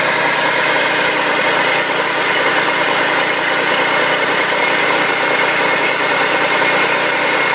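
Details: 2004 Audi allroad 2.7T with a loud, raspy hiss at idle on cold morning starts for 30–45 seconds, gone when warm. The check engine light came on steady once, was cleared and has not returned. Cause unknown.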